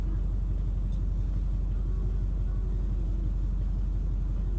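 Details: Duramax LBZ V8 diesel after replacing bad #7 injector with used stock one, not fully warmed up: steady low idle, even smooth clatter, no miss or knock; injector balance shows #7 much improved; normal diesel idle.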